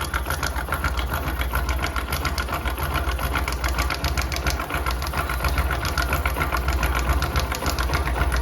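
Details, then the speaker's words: Hero Discover 100 single-cylinder motorcycle idling before repair: quick, light metallic rattle about four a second from a slack timing chain; tightening the tensioner with a pin makes the noise disappear completely. "দেখো guys, আওয়াজটা কিন্তু বিলকুল পুরো গায়েব হয়ে গেছে। তো আমি এটাকে একটু টাইট করে দিলাম, পুরো দেখো সাউন্ড পুরো কিন্তু গায়েব।"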